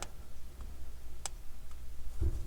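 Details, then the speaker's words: Aquatico Dolphin 39mm NH35 diver watch: a few sharp, dry clicks as the flat case back is pressed and pops against the side of the case. "and this is the one weird thing you can hear it popping"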